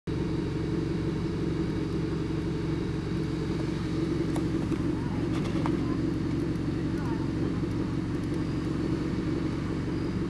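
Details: Mazdaspeed 3 idling with heat and A/C off: low, uneven rumble with a brief heavier surge; rough idle, not every time, after fuel system flush and new spark plugs following diesel contamination of 93-octane fuel.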